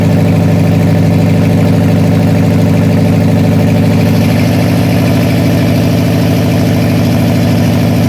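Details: Freshly rebuilt 302 V8 for a 1966 Bronco, first start on a run stand during cam break-in: loud lumpy idle with an uneven chuff about three times a second, cylinders dropping out; carburetor blamed, bad lifter later found.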